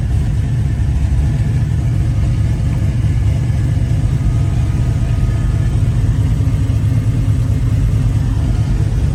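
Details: 1966 Chevrolet Chevelle SS, rebuilt 454 cid 7.4 L big-block, 4-speed manual, dual exhaust: deep even V8 rumble with strong low burble, no knocks or misses, revs cleanly; normal idle and revving.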